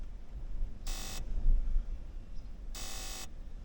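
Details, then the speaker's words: 2001 Ford Ranger power window: applying power by jumping across the terminals gives two short, harsh buzzes with no motor whir; the window motor is not turning. Owner suspects an auto-down window relay in the relay box, unconfirmed. "Get some kind of a buzzing. There is a relay box under here, and actually this is the cover for it."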